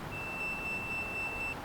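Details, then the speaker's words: 1968 Yamaha 180, condenser unhooked, meter across ignition points: steady beep shows points still closed where they should be opening though set fully back. "we're just checking for continuity you can hear it continuity across the points"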